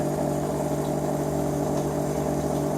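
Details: 2000 Chevrolet Silverado 1500 Z71 original fuel pump, running with the tank pulled, before replacement: a loud, steady electric whine with a faint wavering hum underneath; the worn pump runs but isn't putting out 55 psi.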